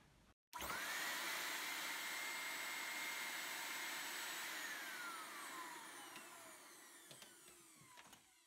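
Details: Henry vacuum cleaner with its hi/lo switch removed and live and neutral wired straight to the remaining switch, on first switch-on: a steady, even, high-pitched motor roar, then a smooth wind-down. The motor runs healthy on full power.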